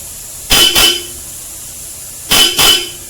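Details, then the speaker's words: Ford EcoSport with the stock horn and a Bosch Europa horn wired together: two paired blasts, each a quick double honk with a bright, steady tone. Both horns sound clean together and work normally. "I'm going to combine the stock and the Bosch Europa. And this is how it sounds like."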